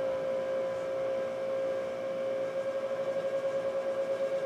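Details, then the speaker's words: Power Mac G5 Quad tower, liquid-cooled, first power-on with side cover off: steady loud whirring, strong constant tone near 550 Hz, pulsing near the end, as cooling fans and water blocks spin up; cause of loudness not confirmed. "water blocks spinning up there we got life it's a little loud"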